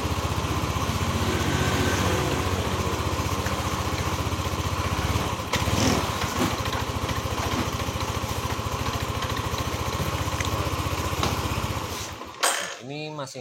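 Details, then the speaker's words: Yamaha NMAX 155 (old model), code 61 ISC system: uneven lumpy putter about four beats a second wavering under held throttle, then cutting out, no idle; suspected missing ISC spring or dirty throttle body; injection 3 ms with throttle held. "mati-matian saya tahan tidak ada nyala ya Ini kemungkinan dari per yang tidak tidak terpasang dan bisa juga dari eh total body yang kotor"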